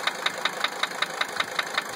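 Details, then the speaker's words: 1980 Mercedes-Benz 300 SD diesel idling after replacing injectors #1 and #3: sharp, even metallic knock about five times a second persists; cracking each injector line rules out injector nailing, source still unknown. "I replaced injector number 3 completely. Because that was the only injector that when I cracked the lines, the sound changed."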